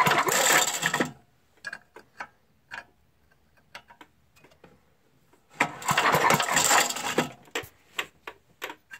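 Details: 5hp Briggs & Stratton engine that has good spark, a very dirty fuel tank, bad-smelling gas and a carb needing attention: two rough cranking bursts with clicks in between, never firing. Crank no start, cause unconfirmed.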